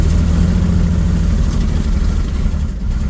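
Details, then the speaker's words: 1966 Ford Mustang V8, long-stored, first test drive: revs up on throttle, then sags and chokes, a stumble on acceleration; the accelerator pump gives no fuel squirt on a throttle snap, and a carburetor rebuild and tune-up are suspected. "Didn't like that. I suspect at the very least a carburetor rebuild and a tuneup are in order."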